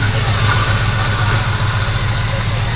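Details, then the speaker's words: Old high-compression engine long parked, with fresh 87–89 fuel, out of time: loud, lumpy, stumbling idle; rough idle, owner suspects a tired carburetor, old gas or a bad plug wire; fresh tune-up suggested. "Sounds like the carbonator has passed its carbonating ability. Well, this old stuff with higher compression does not like old gas."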